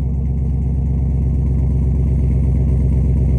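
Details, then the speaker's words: Bone-stock LS 6.0-litre V8 cold start before a planned rebuild and power adder: deep, steady burble at fast cold idle with even pulses and no knocks, ticks or whine, a normal healthy idle. "So stay tuned, and we're gonna do a cold start on it today. Let you guys hear it. It's bone stock right now."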